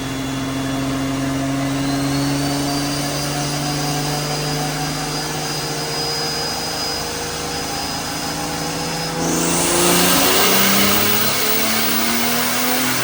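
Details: Drift Nissan R34 turbo on the dyno at about 14–15 psi on pump gas after a wastegate spring change, full-load pull making 320/287. A strong engine note climbs steadily and ends in a loud rush of air, smooth and pulling hard throughout. Healthy.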